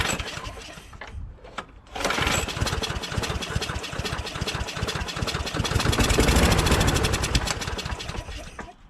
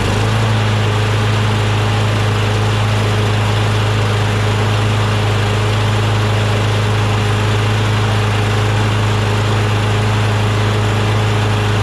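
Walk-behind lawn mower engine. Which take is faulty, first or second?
first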